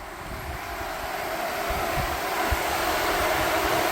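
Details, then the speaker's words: Nissan S12 with an SR20DET swap, ignition on after wiring the radiator fans through a relay: a steady airy whoosh with a faint even hum under some wind, no rattle. Both fans running normally. "Both fans are running. The wind blew away my Post-it, but the radiator fan wiring is done."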